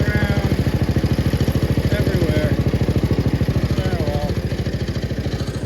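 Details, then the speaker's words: 1971 Gravely 430 tractor, single-cylinder engine running. Steady, even thumping with a regular firing beat and no misses or knocks; normal running. "I can't really get under the dash so that's a problem this thing is running mint now guys"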